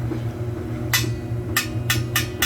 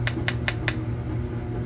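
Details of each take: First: Tapping a good boiler expansion tank, checked after a grunting, water-hammer-like noise once heat was turned on: five sharp metal taps each ring clearly over low boiler hum, bottom rings less; tank holds its air charge. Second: Knuckle-rap test on a boiler expansion tank, checked after a grunting, water-hammer-like noise a couple hours after heat was turned on: four quick raps sound dead and solid with no ring; bad, waterlogged tank.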